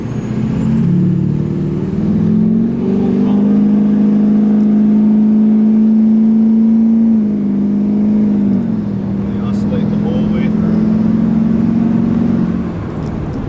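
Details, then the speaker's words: 2006 Duramax LBZ diesel truck with LLY compressor cover, switchable tune 5 (DSP-4), full throttle, heard in the cab: steady drone surging in and out three or four times a second as turbo vanes hunt open and shut; turbo vane oscillation. "But you can hear it in the cab, opening, closing, opening, closing, opening, closing."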